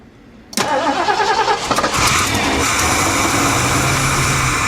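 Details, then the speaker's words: 1976 Mercury Marquis 460 big-block V8, long unstarted, fresh battery, sprayed into carburetor: cranking then sudden catch and brief ragged uneven run on starting fluid (brake clean), not yet steady idle. "Oh, yes. Okay. Um, I'm going to get go get a tank of gas, aka brake clean."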